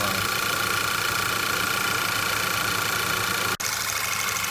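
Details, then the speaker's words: 2008 VW/Audi 2.0T TSI after intake-port carbon cleaning, once air has been pushed out of the fuel rail. It now idles evenly under a steady hiss and whine with one brief dropout, running smooth with no misses. "That's it. Now our jet is running smooth."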